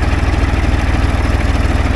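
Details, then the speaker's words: 2.4 L diesel with a dead 2017 battery, just jump-started on an Andeman E-P155 Pro pack; steady, even low diesel chug at idle with regular firing pulses, no knocks or misses: normal idle. "you know pushing a diesel engine to turn over is a lot of power so I'm surprised this thing had"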